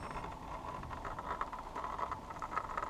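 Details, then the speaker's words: MicroGo M5 Pro electric scooter slowing from about 18–19 mph over rough pavement: loose, irregular plastic clattering over a steady motor hum. The rear fender is rattling. "i'm going to slow down you can hear that i don't know if you can hear that fender rattling in the back but it's very noisy can hear that"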